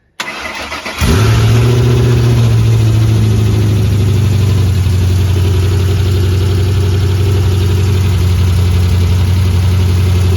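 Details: 3V 4.6 Mustang GT with a newly installed engine, clutch, flywheel and headers, now fully plugged in: quick crank, clean catch and brief rev, then a smooth, even V8 idle with no knocks or ticks. Normal start and idle.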